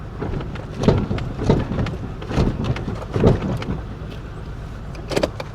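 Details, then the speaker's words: Toyota Camry with 292,083 miles, misfiring badly and with shot motor mounts, while driving: irregular dull pops and thumps from under the front end over road rumble; something in the front suspension is faulty. "There's something wrong with the suspension. Oh, good god, man. This is This is brutal. Something is popping under the front end."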